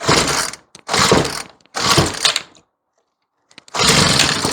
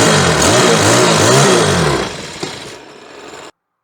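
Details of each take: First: Troy-Bilt four-stroke weed eater running after stale yellow-tinted gas was replaced with fresh fuel; several pull bursts, then it catches and holds a steady run, pitch wandering slightly while the mixture is set; running normally. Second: Troy-Bilt four-stroke weed eater with old yellow-tinted gas, fitted with a different carburetor and new spark plug, trying to start: engine surges and sags about three times a second, never holds revs, barely runs and dies; stale fuel.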